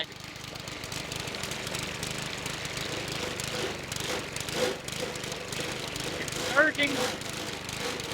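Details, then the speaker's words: Legend Force walk-behind string trimmer running: rough, buzzy note that wavers and dips as if about to stall, surging; cause unclear. "it almost died a second ago now it's like surging and kicking sideways give it a"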